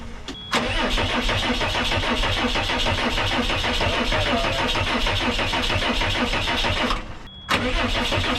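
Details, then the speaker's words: 2002 Cummins-powered Snap-on step van, sat about ten years: starter cranks steadily for several seconds, stops and restarts, but engine never fires despite strong fuel flow at all injectors; runs on ether, injector swap planned; crank no-start. "I'm getting a ton of fuel flow at all the injectors, but it just will not fire. It'll run on ether."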